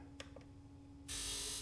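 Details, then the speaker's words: Sea-Doo GTX DI Millennium Edition 951 DI, rebuilt engine that won't start, air injector fired on diagnostic test with no faults stored: two faint clicks, then a sharp half-second hiss of air; air injector working. "Uh oh yeah, it is activating. I'm going to try that and make sure. Yeah, I didn't hear it before, so I wasn't sure. So, all that stuff is working."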